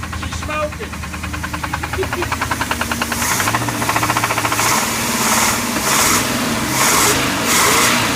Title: 1990 454 Crusader rod knock